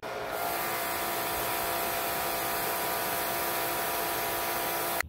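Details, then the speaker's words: Electric Karcher pressure washer on its original wand, checked while the foam cannon was pulsating: pump whirs at a constant pitch with an even hiss of spray, no pulsing, then shuts off cleanly; suspected cause is the cannon's nozzle size/flow rate; normal steady spray. "so you can see that with the original one that came with the pressure washer it was working just fine so it had to be something perhaps with these the nozzle size in other words the flow rate wasn't ideal for that particular pressure washer"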